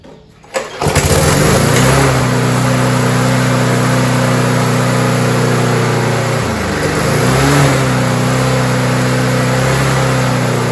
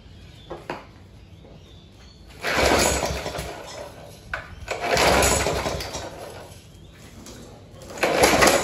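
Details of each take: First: Roadside-found Rover 4-stroke mower after carburetor refit and top cover replaced, throttle cable still missing: pull-start catches within a second, steady even single-cylinder run with a brief dip; normal start and run. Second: Rover 4-stroke walk-behind mower run without air filter: catches in rough bursts that swell and fade, never settling; surging, first thought to be weak governor spring tension.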